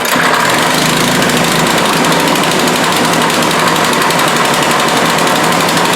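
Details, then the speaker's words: Honda engine on a Husqvarna aerator, after owner cleaned the carburetor: holds a steady high rev without dropping to idle; a pinched carburetor breather hose causes the high idle and stalling when engaging. "so he did show me the symptoms when you when you dropped it off it does it you know you play with the throttle and it stays on a high throttle"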